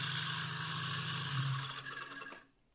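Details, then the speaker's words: Homemade DC motor at high rpm: fast hum with a rough, buzzing vibration layered on its steady tone, then winding down; not present at first start, a small imperfection grew into a bent-shaft imbalance. "now that vibration that you could hear that wasn't happening when i first started the motor in fact it was running so smooth at first that i thought it would always stay that smooth"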